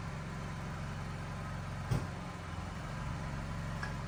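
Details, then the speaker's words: Standby generator started remotely, cold after sitting about two weeks, while mains power was still present; it starts quickly, load transfers over, and it settles into a low, steady, even drone, running smoothly and healthy. "there you go load is transferred over that started pretty quickly considering the thing hasn't been started in probably two weeks or so so it's definitely cold generator is running"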